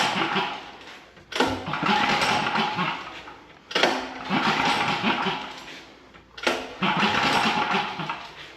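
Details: 2019 Champion 100812 generator, used once then stored about four years, after carb cleaning, needle-and-seat tapping and filters: repeated pull-start bursts that briefly catch and sputter but won't keep running; hard starting, later idles low.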